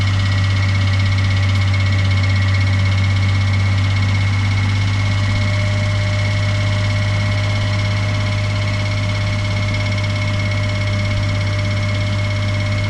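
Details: Suzuki Every Wagon DA17W, 2018, type 2, R06A engine, 55,000 km, oil changed every 3,000 km: steady idle with continuous low drone and faint rapid tapping, abnormal engine noise of unclear origin.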